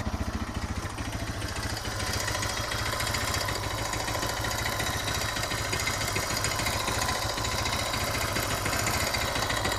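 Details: Suzuki DR650 single idling in neutral with a sharp metallic tick each firing stroke, about three per second; long-standing, fades on deceleration, returns at low revs; valve clearance and cam chain tensioner checked, cause unknown.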